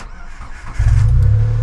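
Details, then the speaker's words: Nissan Micra K13 with supercharger, after new auxiliary belt: engine catches cleanly and settles to an even low idle, no belt squeal, some supercharger noise; normal start. "no more squealing. Yeah, we'll get a bit of supercharger noise, but yeah, that's all good."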